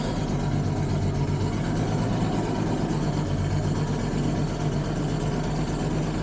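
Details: 1985 Jaguar XJS V12 abandoned for over 30 years, first start: low, slightly lumpy idle with an uneven pulse; the engine is running on 11 cylinders with one injector dead.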